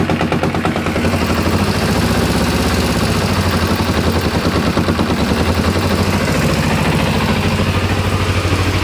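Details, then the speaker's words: 1994 Kawasaki ZZR250 (Ninja 250R), long unused, at idle: rapid, even rattling tap on the small engine's beat, loudest as revs settle, that vanishes when the clutch is pulled in; clutch suspected, cause not certain. "I don't know if it's the the clutch certainly you pull the clutch and the noise disappears"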